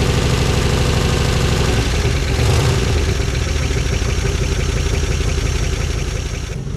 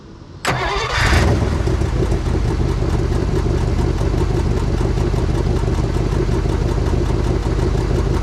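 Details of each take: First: 1955 DeSoto Firedome Hemi V8, first start after years in storage: deep loping beat with uneven stumbling pulses, one cylinder not firing. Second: 1955 DeSoto Firedome Hemi V8 after decades stored, now on all eight cylinders after reseating plug three, cleaned air cleaner and fresh oil; catches quickly and settles into steady even idle with no misfire. Passenger exhaust manifold broken in half.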